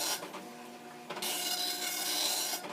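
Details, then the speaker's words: Commodore NX-1000C dot matrix printer self-test, bold print struck twice, regular print once and audibly faster: buzzy rasping print-head passes sweeping back and forth in steady, even bursts; printer working normally. "But I can see it's doing some things in regular print and some things in bold print, which means it typically goes over it twice. So, now it's only going over things once. You can hear it's faster."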